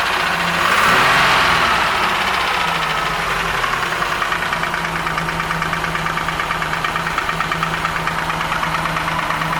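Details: Crest III pontoon boat outboard at intake: steady idle with light, regular knock about three per second, internal knocking of unknown cause.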